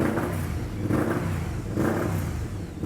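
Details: 2008 BRP Can-Am Spyder, two-cylinder, idling unevenly, surging and sagging about once a second, misfiring and shaking; unequal cylinder intake pressures, strong fuel smell, mixture fault, battery only 13.2 V.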